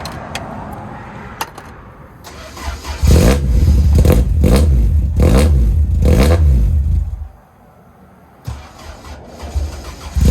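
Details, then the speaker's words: Toyota TE72 wagon with a 4A-GE 20V swap and a newly built exhaust, freshly started before the exhaust is hot. Revs and idle carry a sharp puffing tick: exhaust leak at the front flange. "well it's definitely a little quieter sounds like I have an exhaust leak up here though definitely a leak at the flange my freaking favorite"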